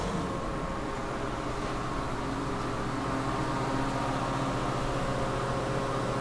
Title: KONE hydraulic elevator with noisy fan @ Central Library, Milwaukee, WI